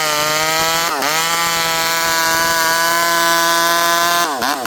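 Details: 064 chainsaw after a new carburetor, high jet about 1 turn, cutting under load: steady high two-stroke wail dips as the bar bites and recovers; pulls hard and fast, healthy cutting.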